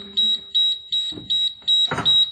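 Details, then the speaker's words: Diesel school bus with air brakes, key on at about 30 psi: steady high-pitched beeping about twice a second, the low air pressure warning that sounds until tanks reach 60 psi while the engine keeps running. "until that gets to sixty pounds of air you're going to hear horrible beeping and it's obnoxious the engine will continue to run"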